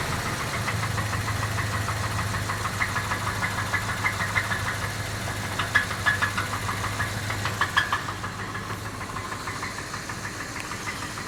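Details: Jeep Grand Cherokee engine at steady idle with a sharp ticking knock about three times a second throughout; engine knock, source not yet pinned down.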